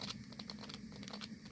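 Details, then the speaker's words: Camping steam boiler on a 450 g gas canister, burner deliberately set high, pump motor off and water circulating naturally as temperature rises from 51.4°: irregular crackling kettling pops over a hum. Louder boiling means the flame is too strong, so turn the flame down. "끊는 소리 들리죠 이게 심하면 심할수록 불이 세다는 거예요 그러니까 불 조절을 하셔야 돼요"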